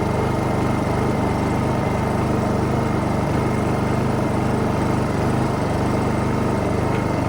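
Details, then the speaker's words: Honda EU2000i generator after carburetor repair: smooth, consistent steady idle with no surging or hunting; rough lopey idle was caused by a missing carburetor O-ring, now fixed. "Anyway, as you can hear that generator out there, it's idling good now. It's got a nice, consistent, steady idle, and it was definitely the O-ring that was the issue."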